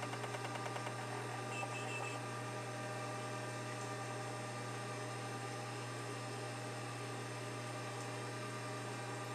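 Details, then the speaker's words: Seagate ST-225 hard drive, possibly 1986, with a burnt, overheating circuit-board chip but otherwise working, powering up: steady whirring spin-up hum with fast light head-seek chatter early on, a normal seek test for this drive. "yeah some of them you can hear do a seek test like that and some of them you can't some of them are real quiet this this one and the other one i didn't know you could hear it but that's perfectly normal for the st-225"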